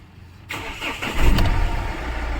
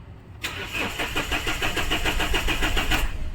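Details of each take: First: Mahindra Xylo diesel, crank-no-start with code P0340, fixed by repairing two wires, a yellow-red coolant temperature wire and a yellow-blue wire: short crank then catches cleanly into a steady idle with no stumble; normal start after repair. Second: Mahindra Xylo: starter turns steadily about three and a half compressions a second for three seconds, engine never fires; scanner shows P0340 camshaft sensor no signal, wiring to be checked.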